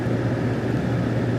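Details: Steady, even low idle hum with no misses, stumbles or hunting from a 2002 GMC Sierra after fixing a rust-caused lean P0174. Long-term fuel trim is about +1.6 and short-term near zero. Normal idle.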